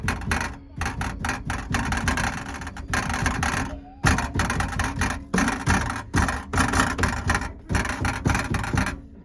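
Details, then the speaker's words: New Edge Mustang driving: harsh irregular rattling behind the door panel over road noise, from a loose part in the window regulator track; pushing it back in fixed the rattle. "There was this rattle in the door that was just horrendous. And it was behind the door panel in there. And this is what it sounded like when you were driving down the road."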